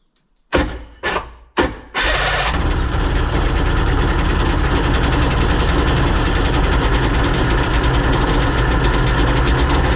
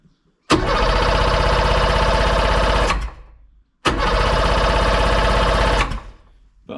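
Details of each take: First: Sea-Doo Sportster 1800 jet boat, twin Rotax 717 two-stroke engines, stored in a barn 18+ months, good compression, started with carb cleaner, run briefly about 2,000 rpm without cooling water: three cranking bursts, then a steady, even two-stroke drone. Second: Sea-Doo Sportster 1800 jet boat, twin Rotax 717 two-stroke engines, sat in a barn 18+ months, fresh plugs, no carb cleaner: cranks over with even chuffing, good compression, never fires; fuel gauge reads zero, suspected empty tank.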